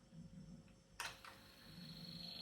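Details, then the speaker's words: Sony TC-WR670 dual cassette deck: a click, then the main motor spins with a thin steady high whistle as the belt slips while the flywheel and program gear stay stalled, so no mode engages. "Так, запускається основний двигун, але стоїть, чуєте, як свистить ремінь і стоїть маховик."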